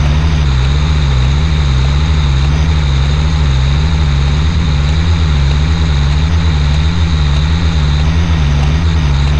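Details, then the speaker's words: LMTV diesel truck after a CTIS fix: steady deep idle with a slow pulsing hum, no hiss or quick release valve fighting the wheel valve, with repeated pressure checks returning to normal highway pressure. "well guys i think that fixed it the truck has done its checks about six times now and it keeps going back to the normal highway pressure not the run flat and i don't hear that quick release valve uh fighting with the wheel valve anymore"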